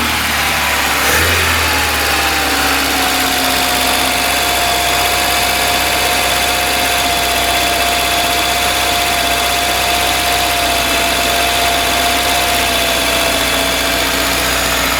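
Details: VAZ 21099 petrol engine at 185,000 km, which had been misfiring, knocking and using oil, after repair with new spark plugs, timing set and head torqued. Even, steady idle with a smooth hum and no misses or knocking: normal idle.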